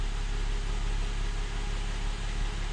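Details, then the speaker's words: 2007 Mercedes E350 after engine rebuild for a knock, warming up at first start: smooth even low idle with steady rumble, no knocking, ticking or smoke; normal idle. "Sounds pretty freaking good. Also, no smoke. >> I hear that it's not knocking."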